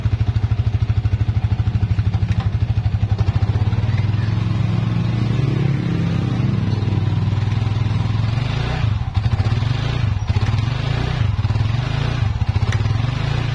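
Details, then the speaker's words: Yamaha Vixion motorcycle after replacing rear hub bearings/bushings for a ticking noise in the rear drum: smooth steady idle with no clicking or grinding from the rear wheel; noise gone, also gone while riding. "Oke sudah hilang ya sahabat semua ketika kita berjalan juga sudah hilang suaranya"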